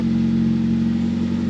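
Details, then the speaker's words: 1985 JDM Toyota Corolla FXGT after power steering fluid flushed several times and new tie rods fitted, car had been sitting: engine starts and runs with a smooth steady low hum, no pump whine or groan; power steering fully functional. "Not a whine, not a groan. Power steering is fully functional."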